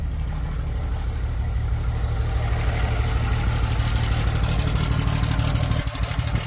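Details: Cummins diesel truck with hard cold and hot starting; CP3 return zero, injector return about 900; about 20 seconds cranking before it starts, then an even idle with steady low thumping; needs injectors.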